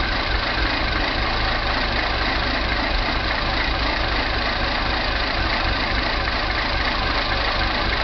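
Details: Mini at idle: steady but lumpy, uneven beat with faint irregular tapping; rough idle with no fault codes stored, owner suspects timing chain, not confirmed.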